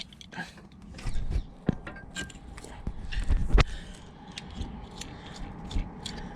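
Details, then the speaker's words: Volvo V70 timing belt tensioner spun by hand off the vehicle during a timing belt and water pump job, belt never changed: rough, crunchy, uneven grinding from a worn, gritty tensioner bearing. "gritty pension is Letting Go this has got no history of ever having a can belt done so this is a perfect time to do it"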